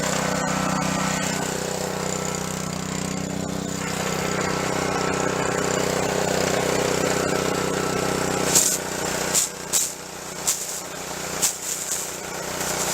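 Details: Junk pressure washer, small engine with replaced pump, tested after repair: steady, even drone for several seconds, then sharp bursts of spray; normal running.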